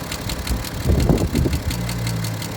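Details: BMW F10 535d diesel with an abnormal engine noise, louder at the rear of the engine and at idle: sharp, even ticking about six per second from a dislodged rocker arm in the valve train.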